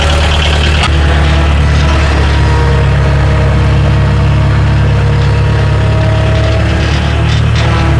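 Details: Bobcat 743 diesel skid steer, about 30 years old, after fuel system bleeding and a fresh battery: catches after a brief crank and settles into a steady, even low rumble at idle with no knocks or misses.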